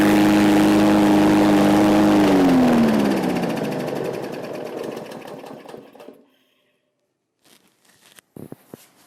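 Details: Free roadside MTD push mower, small engine: even, steady buzz, then winds down smoothly and stops; normal running.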